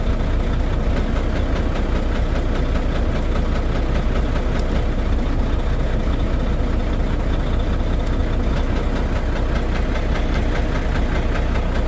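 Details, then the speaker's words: Volvo VNL truck with D13 diesel engine: heavy low knocking, a couple of beats a second, under a rough deep idle with low power and misfire; cutting one injector stopped the sound, so a broken injector is suspected. "I started to find out that there was a specific injector that was not running, was not contributing with the engine, and whenever we were cutting the injector, the sound was stopping."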